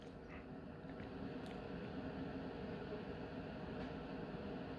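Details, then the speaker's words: Coway AP-1008CH air purifier on fan level two: soft, even hiss with a low hum that takes a while to ramp up, then holds steady, louder than level one. Normal running. "a while to ramp up but as you can hear it is louder the the again the actual sound level you can't really tell but the the tone and the shape of the noise that it makes you can hear"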